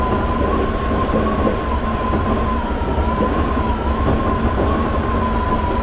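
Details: Toei 5300 series set 5315, Mitsubishi GTO-VVVF, on Keikyu line rapid limited express (Misakiguchi–Kanazawa-bunko), in-car recording: steady mid-pitched electric whine wavering slightly over running rumble, abnormal inverter whine.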